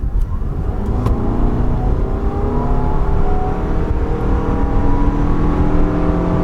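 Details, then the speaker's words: 2021 Toyota Venza hybrid (219 hp, eCVT, no gears) at full throttle from standstill to 60. A smooth whir climbs steadily in pitch with no shift breaks; normal, adequate acceleration. "there's 60. so again not crazy it's got enough stuff to to to get by to be honest"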